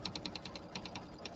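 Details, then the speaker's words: Embroidery machine stitching a fall settee pillow panel: fast, even light clicks, about ten a second, over the machine hum. The user suspects the needle needs changing. Needle clicking. "Can you hear the little funny clicking sound? I might have to change my needle. So, we'll we'll trim a little bit and see. Sounds like I my needle needs to be changed."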